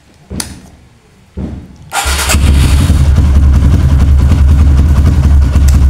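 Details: Kawasaki KLX with a new battery that drops overnight and won't crank in the morning, battery fully charged, repeated starter test: a couple of short starter bursts, then a clean catch into a steady, even idle; 13 starts, battery judged normal for now.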